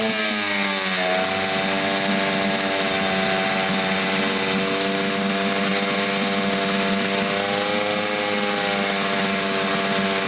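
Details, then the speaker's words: Hangkai 6.0 outboard after crankshaft assembly, bearings, con rod and piston pin bearing replaced for noise under the flywheel, run on mechanic's own spark plug: buzzy note sags briefly then holds steady, no knocks or misses; ran about an hour fine. "ah Так ну что ж всё мотор завелся поработал примерно часик Всё нормально Всё чётко"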